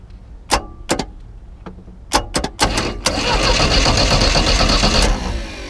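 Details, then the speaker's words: Neglected 1988 Four Winns 16 ft bowrider: clicks and thumps, then about 2 s of quick, even cranking that never fires, a little grindy from the starter gear, compression felt; battery suspected weak, spark present; normal cranking, no start. "Sounds kind of grindy. That's just the gear on the back. There's the compression on it. You should be able to feel it. I can hear it."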